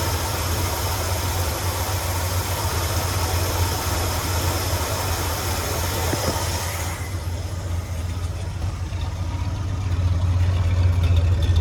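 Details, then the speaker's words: 1977 Ford F-250 Highboy carbureted V8 after the carburetor idle screws were tuned: even, low rumbling idle at a steady beat with no stumble, hunting or miss, a happy middle speed; normal idle. "And I'd say that's a pretty good idle to have, where it's not super low, but it's not high. It's kind of just in like the happy middle."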